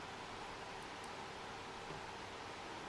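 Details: Acer Aspire V7 Nitro Black Edition VN792 laptop at low fan speed: soft airflow with a faint buzzing hum, spectrum peak near 400–500 Hz; quieter when tilted or palm rest pressed, then returns; suspected vibration from fan or nearby part.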